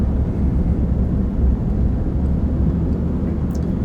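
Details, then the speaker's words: 2007 Ram with rebuilt Chrysler 9.25 rear differential, test-driven at about 20 mph after filling 3 quarts of oil: steady low road rumble with no rising or falling whine, only the fan audible; the gear noise is gone. "I don't hear any rear end noise at all. I mean, you would hear it at 20 miles an hour. You guys heard it in the video I put up last time."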